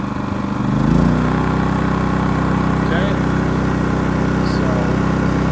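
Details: Generator rated 3200 W starting / 2900 W running, in regular (not eco) mode, idling unloaded while showing 125 volts, before starting a 15,000 BTU A/C fitted with a Dometic hard start capacitor; steady, even drone with no surging or misses, normal.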